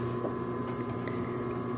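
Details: 1951 Singer 111W155 industrial walking-foot sewing machine with a newer motor installed: a steady low hum with an even higher whir and no rubbing or knocking while sewing; the machine runs smoothly, if a little noisy.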